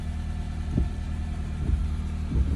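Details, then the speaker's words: Honda CR-V (2002-06) after ignition lock cylinder replacement, started with old immobilizer key in place: quiet low idle, steady hum, a few soft handling thumps; running normally. "So now we got our key in there, and now we will crank it again. So, and it starts. Car's on."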